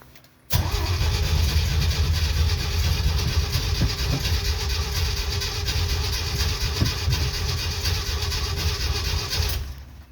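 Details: 1969 Jeep CJ5 after sitting about 7 months over winter, battery dead, on jumper cables, choke partly pushed in: steady fast starter churning for about ten seconds with no firing; cranks but won't start.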